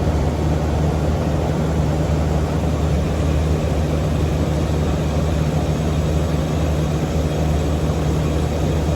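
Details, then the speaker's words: Central AC condensing unit with R22 leaked out through condenser coil, gauges 39 psi high and low before start: compressor runs with a flat, hollow low hum and no load change; running nearly empty of refrigerant. "Let's turn it on, see what happens. There's that compressor running."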